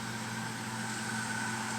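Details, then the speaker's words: 3M MP220 pico projector at high brightness, cooling fan running on high: steady loud whirring hiss with constant hum tones that grossly overpowers the projector's audio playback. "The statue was, and as you can tell, the noise of the fan running on high grossly overpowers the audio."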